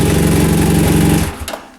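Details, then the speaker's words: 2013 BMW F 800 GS Rotax engine starting after starter freewheel (roue libre) repair, crankcase cover refitted with new gasket and 2.9 litres oil; engine catches at once, runs evenly about a second; normal start. "le démarrage bon voilà après avoir remonté donc le carter mais le joint neuf ainsi que donc l'huile les 2 litres 9 voilà c'est reparti donc pour l'instant je démarre en cas"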